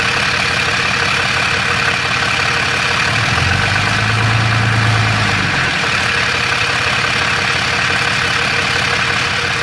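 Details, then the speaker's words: Third-gen Ram 6.7L Cummins with Jasper transmission, fairly new torque converter, converter bolts checked tight: steady diesel idle with fast metallic rattle from the bell housing; cracked flex plate or torque converter suspected, unconfirmed. "third gen ram with the six seven cummins i got some rattling noise uh it seems to be coming out of the bell housing"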